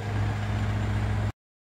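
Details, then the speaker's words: 2009 Mitsubishi Montero Sport GLS 2.5L diesel after removing and servicing the injection pump suction control valve, new fuel filter fitted: low, steady idle with even beat, no stumbles, not noticeably rougher than before; normal idle. "it's idling the idle doesn't sound that much rougher which would be one of the downsides of increasing the tolerances"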